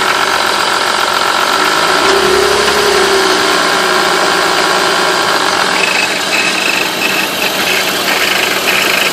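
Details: 1995 BMW 325is E36, M50 engine, warm idle below about 1000 rpm: teeth-chattering rattle heard only after warm-up; owner wonders about VANOS.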